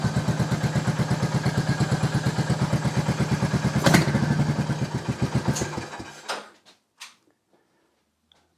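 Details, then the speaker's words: 2022 Royal Enfield Meteor 350 bobber build with custom short de-catted exhaust, middle silencer deleted, valves done: deep even single-cylinder idle thump, faint valve tick over the exhaust, then shut-off; healthy top end. "end is nice and quiet with its valves done as well just a very light ticking And the fact I can hear the valve lightly ticking over the exhaust tells you that it's not horrendously loud"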